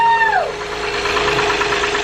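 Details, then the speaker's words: J-series engine in a car, run with power steering pump off, alternator unhooked and no serpentine belt: starter whine falls away into a steady, even, much quieter idle with no clatter; sounds healthy. "Wow so much quieter but you can go ahead and kill it that's magic that makes me so much happier"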